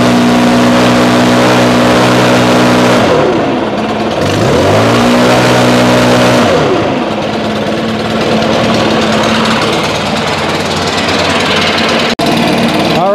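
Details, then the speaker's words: Two-stroke backpack blower, stored 5 months since fall on ethanol-free fuel without stabilizer, about 30°F, choke and primer, fired in 2–3 pulls: revved up and down, picks up cleanly, even buzz between revs with no stumble; normal running. "running pretty solid that's good so recap ran solid only about two to three pulls and it fired right up"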